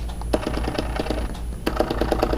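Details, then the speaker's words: Orion DPL xx16G telescope azimuth motor at slew rate five: low hum broken by irregular sharp clicking pops, motor skipping and popping instead of turning continuously; causes non-smooth azimuth tracking. "you will actually see the pop or the skip in the motor as it's running let me just choose a higher slew rate to get the nuts to come around and even on number five listen to that that's not smooth"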